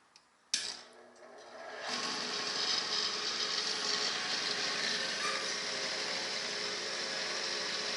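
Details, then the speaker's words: Byrnes 4-inch model-maker table saw with capacitor-start motor and belt drive, 36-tooth carbide blade, no load: switch click, quick spin-up to a smooth, steady high whir with no vibration. "guys can hear it there's no vibration at all"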